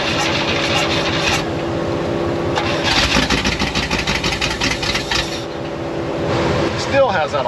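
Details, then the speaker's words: 1972 Oldsmobile 98 V8, jump-started after long storage, running with an awful miss: rough, uneven lumpy beat and surging loudness; owner found plugs a little fuel fouled. "awful Miss but we got it back running again we can move it around if we need to but I'm going to start pulling plugs out and seeing why we have this mess"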